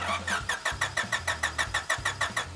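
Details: 1996 Honda Civic hatchback, bought as a non-runner that reportedly ran when parked, oil and coolant checked OK: steady rhythmic cranking at roughly five turns a second with no firing or catch; cranks but will not start.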